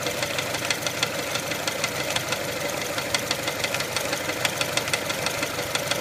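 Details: 1999 Mitsubishi Pajero iO with 4G93 engine at idle: sharp, fairly regular knock about three per second over the idle. Owner suspects the crankshaft pulley, which wobbles noticeably; source not confirmed.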